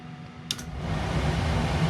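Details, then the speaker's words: 2019 Ford E-350 van with 6.8 L engine converted to an ambulance, aftermarket box HVAC dead: after supplying ground with a power probe, the blower spins up into a steady airy rush, no rattle, on heat at 61°; fault looks like a ground problem. "oh wow everything seemed to turn on so I can get a now the fan I he running it's on heat 61°"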